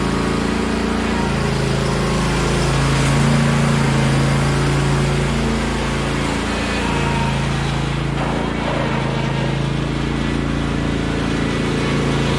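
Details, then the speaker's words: John Deere LA135 Special Edition lawn tractor after spring maintenance, run test with blade engaged: steady, even drone with smooth unbroken beat, no knocks or misses; passes. "Alright, so it's a pass test. The noise as when I was starting the blade, it's the I had some very let's say very near tar, so it's just yeah, definitely. So this tractor, that lawnmower, is still good for another summer."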